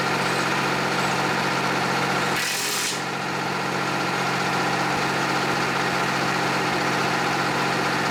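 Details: John Deere 350B bulldozer, rebuilt diesel engine after its first start since rebuild, break-in at low idle: steady, even low idle with a constant drone and one brief hiss, no misses or knocks; normal idle.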